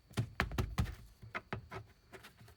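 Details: Ford Bronco driven off-road with top off: irregular hollow knocks as a loose hanging seatbelt buckle swings against hard plastic trim; fixed with seatbelt retainer clips.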